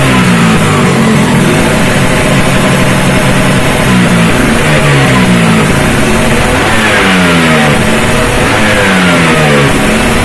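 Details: Vespa two-stroke racing engine on a bench test with direct-intake reed, Japanese carburetor, uprated clutch spring and SRP competition exhaust: crisp idle buzz, then clean rising and falling revs without stumbling. Healthy fresh engine.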